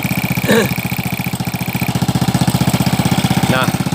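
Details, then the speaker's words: Old Honda Supra X 100cc with aftermarket (KW) block, very rough and noisy, smoking under throttle: small single idles with loose busy clatter on each beat, about four per second; suspected cam chain rattle. "Untuk di suara sangat kasar sekali, berisik sekali bunyi. Itu sepertinya bunyi di bagian keteng ya, atau rantai temeng."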